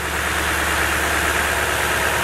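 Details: Truck idling during a Topdon ArtiBattery 101 charging test, rpm not raised to 2500: smooth, even idle with a steady low hum and no knocks, ticks or whines; healthy engine, and the tester reads charging normal, 13.49 V unloaded.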